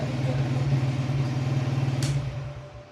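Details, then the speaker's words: New 2025 Crown CR 100 motorcycle, started on its self-starter despite a battery run down from standing: it settles from a brief raised rev into a steady, even idle thump with no tapping or rattle, a healthy normal idle. "लेकिन start हो गया है, self start से ही हुआ है। अभी race तेज हुई है ज़रा।"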